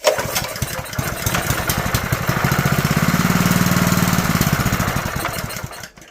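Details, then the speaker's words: Honda GX160 junkyard engine with its mouse-chewed air filter removed, gas poured into the intake and choke on: it catches and pops unevenly for a few seconds, then dies. Spark is present, which confirms the carburetor isn't supplying fuel. "Alright, so diagnosis-wise, that just confirmed this carburetor is the problem. We have spark. As long as we give it fuel, it runs, so we know it's the carburetor."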